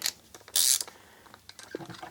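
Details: SK ratcheting screwdriver on a backdrag testing machine, low backdrag about 150–175: light, quick, crisp, even pawl clicks when turned back; ratchet working healthily.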